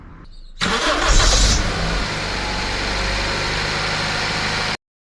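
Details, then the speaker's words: Car engine starting; catches, then a sharp high squeal for about half a second before settling into steady idle; belt slipping, possibly old belt, pulley misalignment or automatic tensioner, fixed by greasing the belt rib side. "hen start that's what we call high-pitched sound the most common problem is the belt the belt could be old belt or it could be the pulley misalignment"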